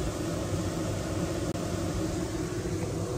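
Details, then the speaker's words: Maxxair roof vent fan suddenly running flat out with a loud, steady rushing roar and won't turn off; motor driver/controller failed. "just started running on full oh no"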